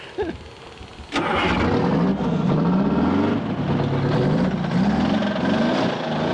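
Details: 1979 GMC Astro cabover, 8V92 2-stroke Detroit diesel, first run after 7 years sitting with the fuel system now full: after a short crank it catches into a busy, rapid beat, revs swelling and easing as it clears.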